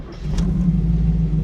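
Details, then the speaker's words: 1937 Buick street rod, new carbureted BluePrint 350 V8 crate engine in break-in; hot start at about 205°F with the cooling fan running. Catches almost instantly into a deep, steady idle, slightly rich; normal hot start. "It's running immediately. The 400 would not have done that."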